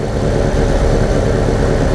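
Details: 1987 VW Vanagon with misfiring and stalling: low, fairly even idle with no obvious stumble once ballast was added to stop ignition multi-striking; fuel control returns and the engine runs steadier than before.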